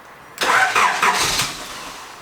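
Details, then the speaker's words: 1980s Honda Prelude with aftermarket 80s JDM remote starter, weak jump pack: starter cranks about a second then cuts out without catching; owner suspects the starter needs another input signal to keep going. "I'm holding the button it turns over for a couple of seconds but it's like not getting a signal to tell it to keep going it needs another input from somewhere"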